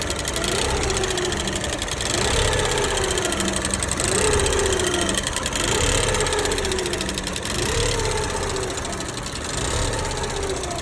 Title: Giulietta QV engine ticking sound and poor ￼idle.